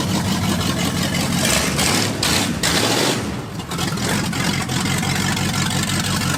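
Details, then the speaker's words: 1979 Ford F150 with a swapped-in Mercruiser boat V8: loud, uneven, lumpy beat with surges; rough running that still needs tuning, cause not confirmed. "So, we've got some tuning to do."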